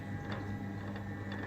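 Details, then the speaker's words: Disassembled machine spindle turned by hand: faint, irregular light ticks a few times a second, sounding better when turned quickly; owner suspects flat spots in the bearings, and there is some play along the quill line; not confirmed. "I just want an opinion on but with the bearings of facts which I think there was some flat spots is I turn sounds better when I turn it quickly but the sound seems to be coming from this"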